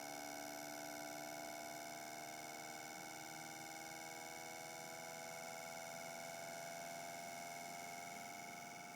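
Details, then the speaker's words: Bendini motor wired to a battery, running with a cover fitted: an even electric buzz that climbs smoothly in pitch as the rotor spins up, with no scraping. This is a normal run-up; speed is set by a potentiometer. "know if you can hear it but it's spinning up quite nicely"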